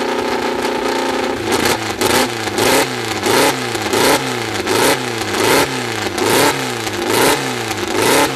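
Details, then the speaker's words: Newly assembled air-cooled flat-four 2054 engine on its first start, carburetors left unadjusted. Crisp rev blips about once a second rise and fall cleanly over a steady idle; the engine runs well from the first try. "bom a gente deixando agora é a primeira impressão de lado que o barulho é eu acho que o motor funciona muito bem logo de primeira"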